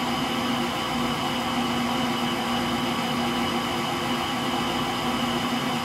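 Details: Frigidaire Gallery front-load washer GLTF1670AS1 final spin with bad motor bearings: even droning hum with a rough low rumble through the slower part of the spin, likened to a Pratt & Whitney JT8D jet engine.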